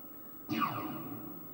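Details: 1998 Namco/Galaxy Games Pac-Man arcade CRT monitor powering on after high voltage shutdown: thumping degauss surge, falling hum, thin steady high flyback whine, working normally.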